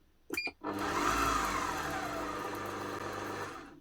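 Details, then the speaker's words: Kenwood Titanium Chef XL food mixer after repair (worn motor brushes replaced, internal oil leak cleaned; was stopping with E29 error): smooth, steady motor hum, no more spluttering, faint gear whirr as fresh grease works around; running properly. "Now, does that not sound a lot better? No more spluttering coming from the motor. A little bit of noise from here as that grease gets worked around."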